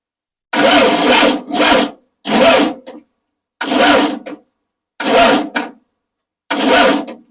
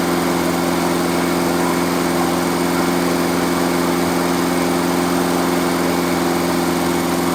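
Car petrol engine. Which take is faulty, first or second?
first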